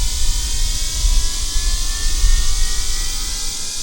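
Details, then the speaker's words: Losi Promoto MX RC motorcycle, before a run: the gyro flywheel is switched on and a thin whine climbs slowly and smoothly in pitch over background hiss. Normal flywheel spin-up. "we're gonna turn on the flywheel I'm gonna let that spin up here right in there"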